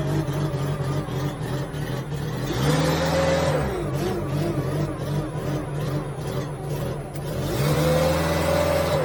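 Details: Genie S60 boom lift that would not start from the ground, after jumpering the key switch: engine catches and settles into a steady run with two brief revs rising and falling cleanly; starts and runs fine.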